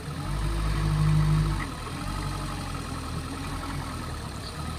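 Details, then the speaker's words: Boat outboard running with cowling off after a throttle-cable adjustment: a brief throttle blip, then it slowly settles back to a steady, even idle with no misses or knocks; running well, may need fine-tuning. "Run's quite smooth. It's going to be a little bit loud at the moment. Well, not loud, but louder than if the cowling was on. There we have it. Engine's running perfect."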